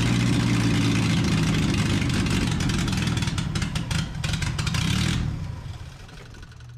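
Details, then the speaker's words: 1981 minitruck engine with a swapped-on big two-barrel carburetor and open exhaust: holds high revs, sags almost to stalling, then picks back up; surging idle, carburetor suspected to be off. "can hear how she's running right she goes up almost dies and she'll take it back up"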